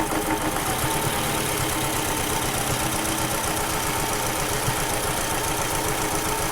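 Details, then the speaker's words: 2006 Toyota Camry with a misfire: rough, lumpy idle with an irregular stumble; the ignition coil is confirmed bad, giving no arc or spark; misfire from a dead ignition coil. "right there we just confirmed 100 that coil is bad uh we've got no Arc coming out of the coil itself like it's supposed to"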